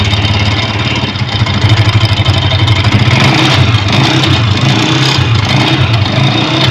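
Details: Honda motorcycle at idle: rapid tappet-like clatter pulsing with the engine beat; the cause is the flywheel magnet rotor broken loose at its old weld, not the tappets.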